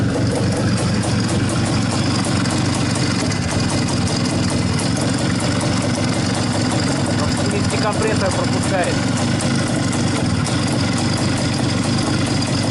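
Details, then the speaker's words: Izh-49 two-stroke motorcycle after treating piston knock with solid lubricant and checking ring gaps, first start with only fuel connected: even, steady buzzing idle with no knocking or rattling; normal idle, slight knock remained during assembly. "пока никаких звуков не слышно вроде все нормально Так ну что сказать Вы сами все видели сами все слышали по-моему никаких посторонних звуков Я не слышал Вроде бы все нормально должно быть"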